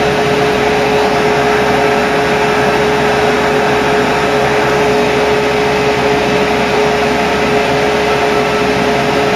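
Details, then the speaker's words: Ford Cortina Mk3 upgraded 300 W heater blower motor run on power, with a loud steady rushing fan and constant high tone, no flutter or grinding; spinning the correct way and running normally. "You can already hear how noisy these things sound. Oh dear."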